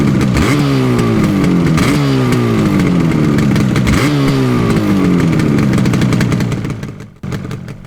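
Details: Yamaha RD350 LC two-stroke twin, 1980s, new plugs and fuel, mic placed by bike: crisp ring-ding revs climbing and falling three times, clean pickup, then shut off; healthy.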